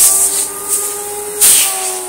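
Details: Electrolux Slimline 185 vacuum after repair: a steady, high airy rush with a faint motor tone, very noisy, with fantastic, strong, even suction. It runs healthy.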